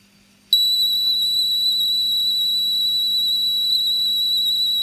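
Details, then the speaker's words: Clean, steady high-pitched data tone with no wobble or dropouts from the CE-125 tape deck of a Sharp PC-1251 pocket computer, loading software after a drive belt replacement. The program then loads successfully. "I think that sounds a bit better. I definitely think that sounds better."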